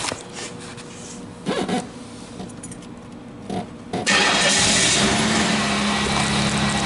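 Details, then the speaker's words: Car in an auto shop, started while reading live data; manifold air temperature reads 77 degrees, and mass airflow rose to 46 g/s after start. Catches after about four seconds into a steady, even idle with no misses; sounds better than before; normal idle. "there we go sounds good it does sounds better than it did it's not as there we go i saw 46 grams per second nice airflow went up and cool"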